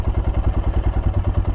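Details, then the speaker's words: Royal Enfield Himalayan single, spring start-up after stalling issues, fuel pump primed: starts right up and thumps along at an even, quick idle with steady beats and no misses; check engine light later cleared itself. "all right fuel pump primed nicely we're gonna fire her up starts right up just see how nicely that's"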